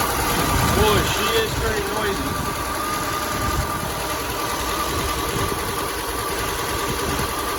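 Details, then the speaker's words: 1964 Chevy C20 that sat 19 years, running after a fuel line leak was fixed: loud, clattery, uneven idle around three beats a second, and it smokes. The owner hoped the rings would come around. Noisy rough running. "I was hoping this truck maybe the Rings would come around but foreign runs smokes for mosquitoes but we run well"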